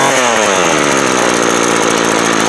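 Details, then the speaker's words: Craftsman 24cc 17-inch string trimmer that had broken fuel lines and primer bulb, fuel lines swapped and plug cleared; crisp two-stroke settles at idle and revs smoothly, no misfire or stumble; running normally. "you know there you go everything works like I should"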